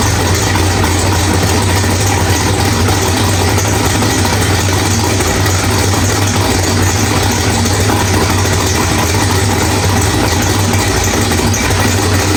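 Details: Drag-race V8 with Powerglide, after loose ARP flex plate bolts found, new ATI flex plate and stator installed; loud lumpy but even idle, running rich, no rattle or knock; sounds healthy after repair.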